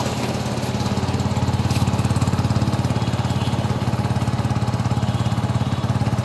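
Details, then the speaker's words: Yamaha R15 V3 single-cylinder engine idling with a steady low thump about 150 pulses a minute, even and smooth with no knocks or rattles from the bearings or internals; a healthy idle before throttle is applied. "শোনাব দেখুন দর্শক ইঞ্জিনের sound তো শুনলেন আর এই যে ইঞ্জিনের main ইঞ্জিনের বিয়ারিং বা ভিতর থেকে কোন আওয়াজ টাওয়াজ আসছে কিনা একটু ভালো করে আপনারা এই দেখেন কোন ইঞ্জিনে আওয়াজ নেই"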